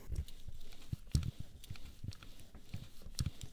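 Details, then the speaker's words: Integrated cockpit bike after headset bearing service, compression set to 6 Nm: dull, uneven low knocks every half second or so as the bars turn; fully internal cable housings still hitting inside the frame despite rerouting, bearings now smoother. "of course the housings will still hit the frame inside uh I tried to optimize the way they are being routed and the bearings are now working smoother"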